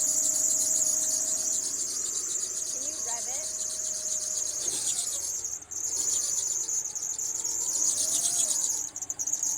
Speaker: this chirping or squealing noise was actually caused by two different accessory belts being too loose